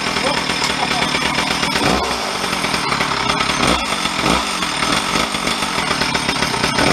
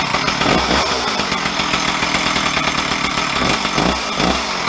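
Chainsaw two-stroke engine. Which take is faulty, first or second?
second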